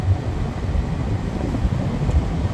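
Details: 2015 Lincoln Navigator after replacing the front blower motor resistor (Dorman 973-399) to fix a blower stuck at max: steady, even rush of air, comes on slowly with delayed response, no rattle or squeal; normal blower operation.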